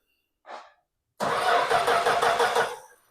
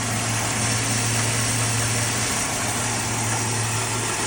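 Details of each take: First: Plymouth Duster, Mopar Slant 6 225, turned over via trigger at the power block: about 1.5 s of even starter churning, roughly three beats a second, never catches; crank no start (no spark). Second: Plymouth Duster, Mopar Slant 6 225, running off the gas tank after starting on start fluid: even, steady idle with a low smooth thrum, no knocks or misses; normal idle.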